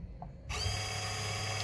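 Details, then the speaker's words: 2017 Chevrolet Express van with DTC C0110-04 (pump motor circuit open), ABS pump motor commanded on: a sudden steady buzzing hum that runs evenly without stutter, then shuts off. The pump motor works normally. "and as soon as I do I can hear that motor running and now I shut it off"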